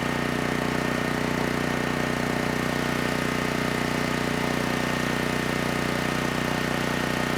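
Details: Generac GP6500E generator after repair of seized engine, warmed up, under load up to 6,000 W near max: loud, even drone pulsing about three beats a second with constant hum, no stumbling; held 121 V, just below 59 Hz, no issues.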